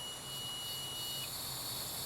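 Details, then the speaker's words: 1976 Harley-Davidson Ironhead Sportster, static timing after new points, condenser and advance: with the plate advanced, a timing tester buzzer sounds a steady high-pitched buzz as the points open. "once I advanced this came all the way this away and I hear that noise go off on that my timing is set"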